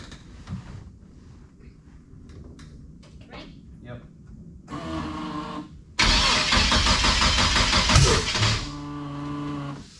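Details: Chevette with V6 and fresh drivetrain, first startup: rough lumpy idle with uneven popping, two adjacent dead cylinders, suspected crossed spark plug wires.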